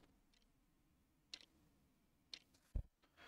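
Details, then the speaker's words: Kitchen quartz clock movement, after being accidentally damaged while pushing the hand on during repair, still ticks faintly about once a second but the hand no longer turns; the turning part appears separated, to be glued back. "so it's still ticking, but the hand is not moving."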